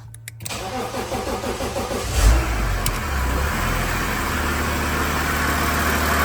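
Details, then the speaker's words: BMW E92 335d diesel mid right-hand-drive to left-hand-drive conversion, start after much troubleshooting: brief crank, catches and settles into a steady, even diesel clatter at idle; starts and runs normally. "The engine is finally running. Let's start it again and see."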